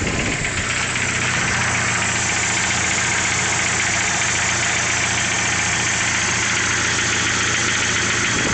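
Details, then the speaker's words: 1995 Jeep Wrangler YJ 2.5 liter, 5-speed manual, 128,000 miles, cold start at idle: busy rapid knock about three or four a second, lasting until about 210 degrees operating temperature, then goes away; owner suspects piston slap. "I think it has piston slap because when I first started up when it's cold I get a knocking noise"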